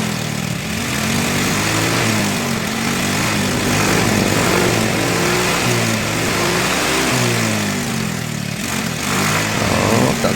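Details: Yamaha Mio i scooter that sat submerged in a river and would not start for 3 years, now repaired: engine runs with a steady buzzing drone, rear wheel spinning, no misses or knocks, running normally.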